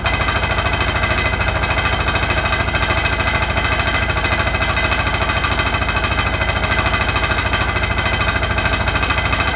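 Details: Hotpoint NSWR843C washing machine on final 1200rpm spin: a fast, very even metallic rattle hammering throughout; the cause of the loud rattle is unknown.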